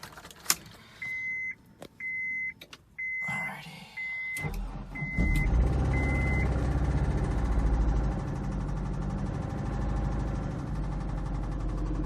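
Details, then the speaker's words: Honda S2000 cold start after sitting about a week: a few chimes, engine catches and settles to idle with a loose metallic rattle from the clutch area as the clutch sits half engaged; owner suspects throw-out bearing or clutch. "You're going to hear some rattling coming from the trans, but I'll wiggle the shifter so you can hear and tell that it's definitely coming from the clutch area, because the clutch is like sort of halfway engaged."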